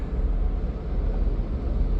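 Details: Nissan Sunny idling in N with the AC on: deep, uneven idle rumble that lurches irregularly and makes the engine vibrate, from a cylinder misfire with no fault codes stored. It is being diagnosed with the scan tool's power balance active test.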